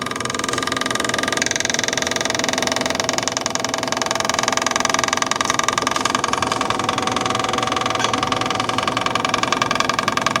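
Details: Revived yard-sale Onan 305 CCK generator, freshly reassembled with a newly painted muffler, warming up: even, regular beat of about 160 a minute with a light mechanical clatter, holding steady; it runs smoothly and sounds healthy.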